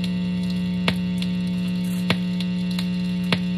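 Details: Electric guitar in neck position with phone about one foot from the amp; loud steady low hum with buzzy edge, unchanged by two layers of tinfoil shielding in front of the pickups; radio frequency interference, shielding does nothing.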